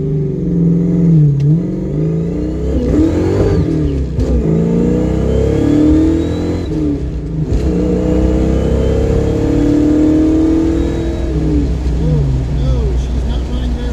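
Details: Ford Mustang V8 (project car) running unevenly while driving, exhaust stumbling and surging instead of pulling smoothly after carb and distributor timing experiments; distributor and intermittent fuel pump both failing, engine misfiring under load.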